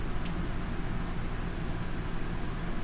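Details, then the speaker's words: Two rooftop ACs in a 41 ft Grand Design Momentum fifth wheel plus fridge on electric, EcoFlow Delta Pro 3600 W inverter sustaining about 3.2 kW, unit at 82 °F; steady low hum with even fan rush, no surging or rattles. Normal running under load. "and it's sustaining about 3.2 and it'll run this for probably half an hour"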